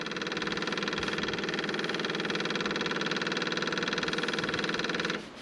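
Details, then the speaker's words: Skid steer after fuel filter change for water in fuel tank: key on, engine off, electric lift pump steady fast ticking buzz about four pulses a second, constant pitch, then cuts off; filter filled normally, installed dry. "the key on and let the little pump fill it up this is what it says to do you don't have to fill it up anymore before you put the bow on there"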